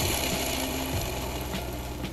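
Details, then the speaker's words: Suzuki gearbox removed and its shaft turned by hand gives a rough, gritty ratcheting rumble with uneven catches; the gearbox bearings are worn and need replacing. "It's awful. Obviously, the bearings need replacing, which means I need to get to them."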